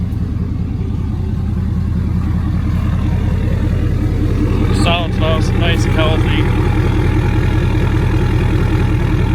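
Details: 2017 Ford Powerstroke diesel idling after fuel filter change and priming, bleeding air out: steady diesel clatter at an even, unchanging idle with a regular beat, no stumbles or hunting; normal idle.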